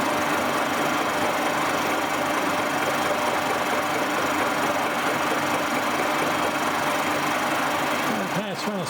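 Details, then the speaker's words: Boring mill with new tooling, taking a fairly light facing cut: steady hiss of the tool shearing metal over a smooth spindle drone, no chatter or squeal. Normal cutting. "time only a fairly light cut I'll run through its PES and then bring it back and take another one as you can see it's just fling up the surface it's doing a very nice job as well"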